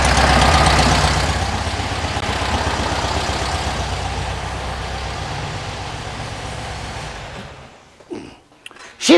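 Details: 1974 VW Beetle flat-four, dual 34 carburetors, points ignition, hot, after syncing carbs and setting timing about 8 to 9 degrees, dwell about 43: even steady idle, smooth unbroken beat, no misses before winding down; properly tuned idle.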